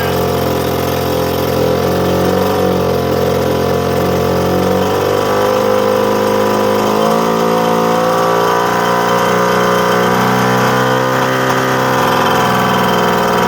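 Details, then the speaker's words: 1979 Suzuki JR50 two-stroke minibike, sat for a long time, just revived with choke on and off and carburetor still loose: uneven buzzing idle, revs drifting, running but clearly unhappy; cause unconfirmed. "So, she clearly is uh not exactly happy, but uh running"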